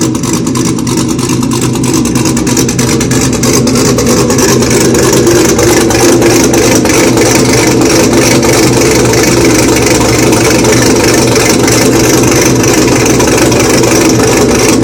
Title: Jre rough idle blower cam 2010 camaro